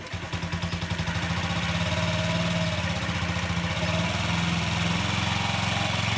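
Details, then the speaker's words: 2012 Honda Ruckus that sat for years, first start of the day after fuel pump priming: fires with quick uneven pulses, then steady single-cylinder idle as the automatic choke raises and drops revs; strong. "it fired right up now that was a bit of a rough start because um this is the first time i've started it today and that's the automatic choke making the engine idle up and then idle down but it is strong"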